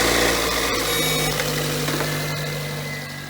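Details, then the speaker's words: 2005 Toyota Matrix with a no-crank complaint, 12 volts applied directly to the starter's signal wire: quick catch and settling idle with even low hum, so the starter is not the issue. "see the vehicle started till the starter is not the issue"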